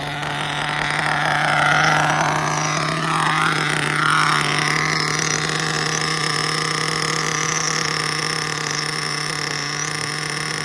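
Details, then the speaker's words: Mugen MBX5 1/8 nitro buggy, brand-new engine, run after sitting 14 weeks put away wet, preheated: high steady buzz with idle slowly rising as it warms; low-speed needle still lean (plenty rich up top), being richened to stop idle creep. "Still sounds lean down low. You know, it's rising up."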